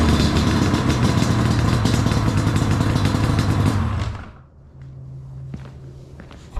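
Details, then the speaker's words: Yamaha Banshee twin two-stroke after a carb rebuild and new fuel line, foam as a temporary air filter, not fully warm. Crisp, slightly ragged low idle. Lean running on pilot circuit. "That's on half. It's still a little lean on the pilot. Uh especially when it's not warmed up all the way, but that'll be better when they get the air filter."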